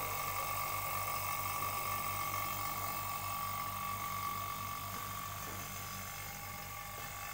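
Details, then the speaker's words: Cold storage compressor evacuation: vacuum pump running near the end of evacuation with less smoke from the pump exhaust and the pump working harder; steady pulsing chug about four beats a second with a thin whine on top: normal. "Ciri-cirinya kalau vakumnya sudah hampir selesai, asap ini sudah berkurang. Sama kerja vakumnya sendiri agak berat. Dari suaranya akan terlihat nanti."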